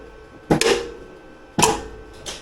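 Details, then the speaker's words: Zero-turn mower electric PTO blade clutch, after voltage troubleshooting and reconnecting, key on and PTO pulled: two sharp metallic clacks about a second apart; clutch engages firmly and grips properly. "she's gripping good real good well that's good news"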